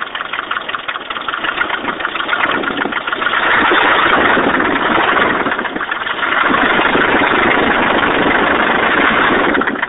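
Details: Nissan 240sx 1989 KA24E engine, head rebuilt recently after overheating; rough idle with light, uneven tapping over the engine; owner unsure if rod knock or lifters needing bleeding; engine knock at idle, cause unknown.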